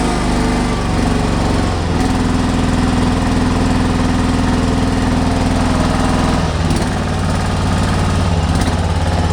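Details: Kawasaki FB460V small engine, after years on ethanol gas, suspected carbon fouling treated with new plug and a bottle of Seafoam: steady thrum at constant speed, no misses, coughing or surging; runs smooth and healthy.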